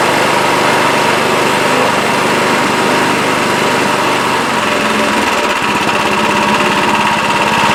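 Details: Craftsman 26 Quiet snowblower (model 247.886940), about 8 hp 208 cc, after carburetor fix for a no-start, started on electric start: small single-cylinder engine buzzing at steady, even speed with no surging or sputtering; runs normally.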